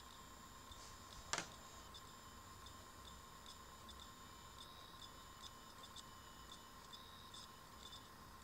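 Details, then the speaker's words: Used thrift-store PlayStation 3 booting, with the mic held close: faint, sharp clicks about once a second over a quiet electronic hum as the bad hard drive tries to start. Failing hard drive clicking. "today doesn't sound as bad as today I got it but it is clicking quite a lot"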